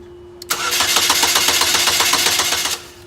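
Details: Chevy HHR crank-no-start: starter cranks steadily at about four beats a second for two seconds and never catches. No spark at any cylinder from a failed powertrain relay.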